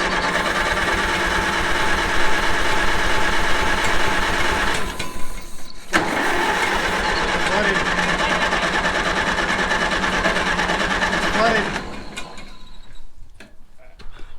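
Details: Abandoned Ford TW-10 tractor, long unused, fuel and battery in, ethanol moisture worry: starter churns steadily about three turns a second for several seconds but never catches; cranks, no start.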